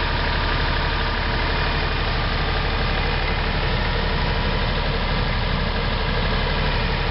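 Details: Hunting HiVolt 12 kW three-phase diesel generator running after a hydraulic-starter start. A steady, even drone with a solid low thump and no knocks or misses. Running smoothly and healthy.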